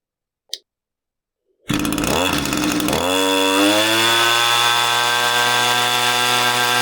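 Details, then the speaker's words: Echo string trimmer two-stroke powerhead after replacing an incorrect carburetor gasket, nothing else changed: starts on the pull, revs up, settles to steady even high buzz with no stumbling; runs normally. "We're going to fire this thing up and see if it runs properly."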